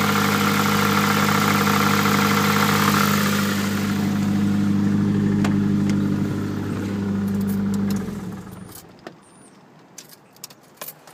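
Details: Nissan Pulsar GTI-R engine running: steady droning hum with a regular beat about three times a second, then shuts off; unidentified noise, cause unclear.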